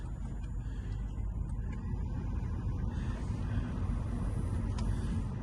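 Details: Mercedes C180 (possibly C200) Sport, just arrived for inspection: low, soft, even hum with no knocks, ticks or whine over a steady murmur, a healthy petrol idle.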